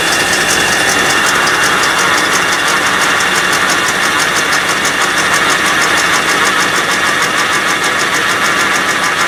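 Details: 1984 Rolls Royce Corniche, initial startup after engine rebuild, warm-up regulator unplugged: loud ragged running with uneven stumbling beat over hissy chuffing; misfiring, cause not confirmed; exhaust leak later found at manifold-to-downpipe joint.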